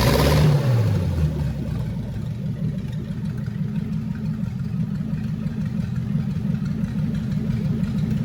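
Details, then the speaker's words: First start of a flathead V8 in a 1927 roadster, carbs just done: catches with a quick rev, then settles into an even, steady low rumble with no knocks or misses; good oil pressure, healthy normal idle. "It sounds real good."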